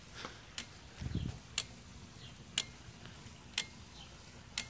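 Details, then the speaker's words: Porsche 944 on MicroSquirt, injector pulse test on channels 1 and 2. The clicking injectors give crisp, firm, even clicks about once a second in a quiet room and sound healthy. "so this one's clicking that one's not that one's not that one's clicking that's channel one it's one in for now injector channel 2 which should be 2 and 3 so not clicking is clicking is clicking not clicking so those sound healthy"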